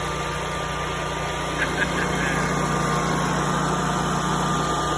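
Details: New Generac standby generator on its first manual test start after a transfer switch install, once the fuel lines bled through: steady, even mid-pitched drone with a constant low hum and no knocks or misses; running smoothly.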